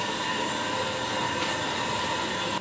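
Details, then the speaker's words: Gerber toilet tank refilling on its own every 20 to 40 minutes: steady rushing hiss with faint whistle that cuts off sharply, caused by an old or damaged leaking flapper; fix is flapper replacement. "that is the sound of a leaking toilet it happens when the flapper inside the toilet tank uh becomes old or damaged"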